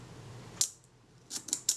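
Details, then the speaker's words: Kodak Retina IIIc (type 028) leaf shutter being serviced, set at about 1/8 then 1/15 second: crisp snaps over too quickly, shutter running fast; fix is moving the retard gear train inwards for more engagement with the cam. "Definitely fast. So I need to move my shutter cocking, move my retard gear train inwards for greater engagement with the cam."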